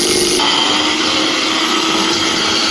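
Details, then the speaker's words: Preethi Galaxy mixer grinder, customer complaint of heavy fire and smoke from the bottom: high, harsh motor whine, steady under no load with a rough buzzy edge — motor sparking. "இந்த mixie கஸ்டமரோட complaint என்னன்னு பாத்தீங்கன்னா கீழ வந்து தீ வந்து அதிகமா வருது. ஸ்மோக் வந்து ரொம்ப ஓவரா வருதுன்"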